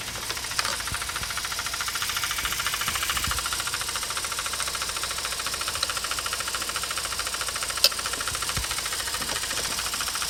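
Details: Mazda RX8 231 bhp rotary idling with a light, regular knock about twice a second from the SSV, removed and cleaned already; actuator link suspected, needing replacement or rebuild; unconfirmed.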